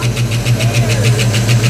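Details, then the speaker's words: 1989 Mustang LX 5.0 V8 convertible, first start after about 3 years down, new fuel injectors and pressure regulator, ECU capacitors repaired; fast idle settling: sharp even ticks about seven per second over idle, source unknown. "the computer starts it up kind of fast and then it slows down it's settling into an idol but I don't know what that noise is"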